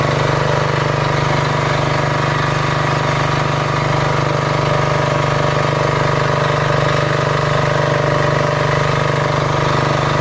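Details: Diesel generator with three-phase and single-phase outputs, just started: steady, even diesel chug at constant speed with no misses or knocks. Normal idle.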